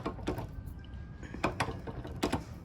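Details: Minibike wheel on one side only: quiet, irregular sharp clicks in small clusters as the wheel turns; owner suspects a bad or too-small wheel bearing or possibly the rim, other side doesn't do it.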